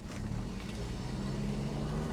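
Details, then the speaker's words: 1967 Mustang test drive after a new timing chain and front seal, alternator charging at 13.8 volts: the engine pulls cleanly under throttle with a steady drone and the earlier belt squeal is gone; normal acceleration. "Not hearing the belt squeal anymore. That's good. And she seems to be accelerating when I give her gas."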